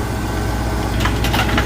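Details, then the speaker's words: Cornelius ice maker, newly installed, on initial startup: steady hum, then light cracking clatters as cubes release and drop after the water valve cycles. This is a normal ice harvest, and the technician is checking that it drops correctly. "It's kind of You can hear it dropping. I just want to make sure it's dropping correctly."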